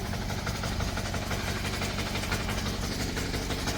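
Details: Even, steady chug from a 178F 7 hp Chinese diesel engine idling normally with no hissing or irregular knocks, after a crankcase vent repair; no leaks after about an hour of running.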